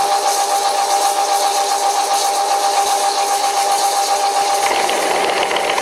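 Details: Cutting chatter on an old WW2-era Fischer lathe, first cut after swapping the slipping flat belt for a V-belt: steady piercing squeal over a light buzzing rattle as the tool chatters badly against the work; owner calls it pretty bad.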